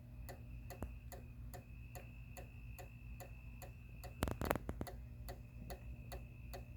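Quiet, constant clicking at roughly three to four a second with no light coming on, like a relay chattering without latching.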